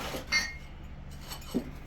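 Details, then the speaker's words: Fresh glazed pottery (winterwood with textured turquoise or iron luster glazes) gives faint, sparse high pinging clinks while cooling from the hot kiln to a room of about 65–70°F; this may be harmless or may lead to cracking. "I can hear them pinging which I don't like that's um either no problem or it could lead to some some cracking"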